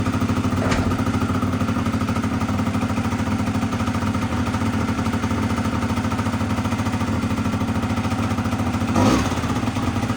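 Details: Honda Dio 100cc two-stroke scooter project, first start; fast, steady buzz that never drops to a slow tick-over, owner notes revs too high: high idle speed.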